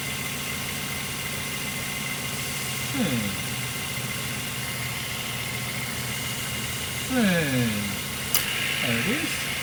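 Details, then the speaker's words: 2008 Mazda 3, nearly 200,000 km, after replacing the serpentine and AC belts: low, steady idle hum with the AC on and no squeal or chirp, just the motor heard, not the belt; normal idle. "so it's running now and i can actually speak now without that noise and you can just hear the motor not the belt"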